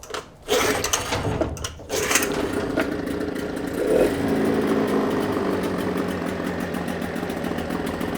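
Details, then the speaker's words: Suzuki DT6/DT8 two-stroke outboard with a Chinese walk-behind-tractor carburetor fitted, overflow hose routed out: cranks, catches about two seconds in, settles into a steady even buzz; runs well, overflow only during initial bulb priming, no fuel leaking while running. "Перелив только при первой подкачке бензина. Мотор работает просто замечательно. Обратите внимание, что бензин не льется."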